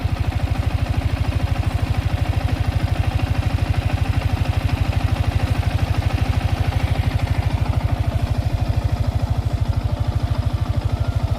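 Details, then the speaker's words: Freshly washed Yamaha R15 V4 at 26,126 km, idling, with the owner listening to the rocker and head: deep, regular exhaust pulses at about 194 a minute with no valve-gear tapping. The owner calls it very smooth. "आणि ह्याचा पहिला हॉलचा आवाज ऐका. Rocker आणि hall याचा आवाज ऐका, किती स्मूथ"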